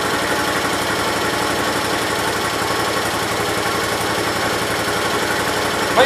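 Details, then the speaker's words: 1968 Gravely 430 single-cylinder engine at idle just after motor reinstalled; extra oil put in rings so slight smoke expected; steady, even idle with regular firing beat, no knocks or misses; normal idle. "it looks a lot worse in the camera but it's really not bad in here so sounds pretty nice"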